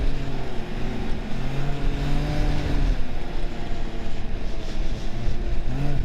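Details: 2023 Ski-Doo Grand Touring Limited snowmobile ridden harder on trail: strong engine roar rising and falling as throttle opens and eases; turbo running normally.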